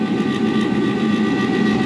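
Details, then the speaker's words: Old furnace in -6°F cold: draft inducer motor makes a harsh, rough drone with hum and thin whine; worn motor, oil to be sprayed on it, expected to overheat and trip thermal overload, furnace needs replacing. "man that thing sounds horrible [Music] yeah he needs a new furnace I'm going to spray some oil on it"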